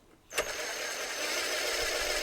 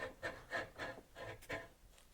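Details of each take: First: Compactor plate exciter shaft spun with an impact driver after bearing replacement: smooth, even high whir holding steady, no rumble or grinding; bearings healthy, unlike old ones with corroded races. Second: Compactor plate exciter, sat unused over a year, oil-starved: shaft spun by hand gives gritty rasp about three times a second, noise from one side; dry, corroded bearings failed.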